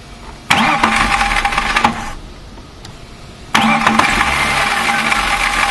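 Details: BMW M3 starting: harsh rattling whir on each of two starts that settles once the engine is running, caused by a broken starter motor dog gear bearing chattering on engagement.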